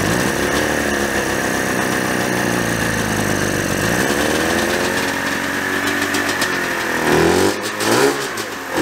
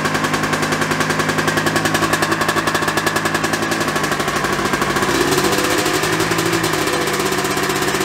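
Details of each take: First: 1987 Yamaha Exciter 570 snowmobile two-stroke, first start after 13 years sitting, fresh gas: screams at steady high rev, won't settle, shut off with kill switch; overly tight throttle cables held throttle open. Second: 1987 Yamaha Exciter 570 two-stroke snowmobile, sat about 13 years, started on electric start with choke. It starts right up into crisp, even, steady fast popping with no stumbles or surges. Normal idle.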